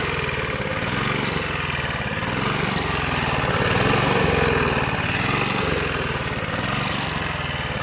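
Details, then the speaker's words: Rebuilt Honda GV150 engine (transmission still disassembled) pops along but the beat wanders and surges every second or two; owner suspects choke, ignition or coil, or the unreplaced spark plug. Cause unconfirmed. "air est aussi un défaut d'allumage ou à la tête de la bobine et j'ai pas changé la bougie donc ça tout y'a peut-être ça aussi on pourrait peut-être entre en ligne de compte"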